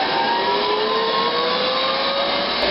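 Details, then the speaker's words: STAT 180 air stripper during alarm testing: after the sump was pumped below the high-level float, reset pressed and the blower spins back up with steady rushing airflow and gently rising tone. High-level alarm works; normal blower running. "So I press this reset button. You can hear the blower coming back on. So the high level alarm works."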